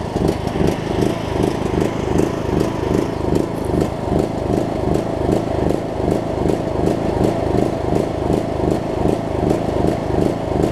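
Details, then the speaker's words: John Deere LA105 riding mower single-cylinder engine, sat about three years, run around 40°F after fuel tank and carb cleanout, revs hunting about once a second; surging, owner suspects remaining tank gunk. "second gasps like crazy though I think there's a still a little bit of gunk and whatnot in the tank that it might have to work out but hey it is running"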